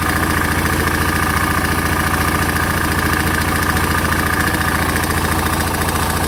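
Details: Single-cylinder 650cc engine of a 2006 Suzuki S40 Boulevard (LS650 Savage) at just under 4,000 miles knocks loudly and steadily at idle, about three and a half beats a second; owner attributes it to piston slap, unconfirmed.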